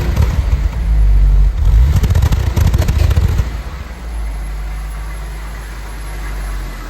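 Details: Jaguar XJ-S engine misfire: catches and settles to idle, but the idle rocks unevenly with an irregular stumble, like a cylinder misfiring.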